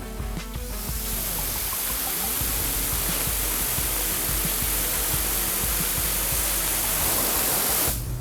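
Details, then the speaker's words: All American 921 pressure canner on high heat, raw-packed chicken, microphone held to the pot; steady rushing hiss with bubbling underneath like a kettle about to sing; normal boiling before venting, weight not yet on. "you're gonna hear this boiling this bubbling inside the pot and it's gonna sound just like this foreign it's just it sounds like a steam kettle that's about to start going"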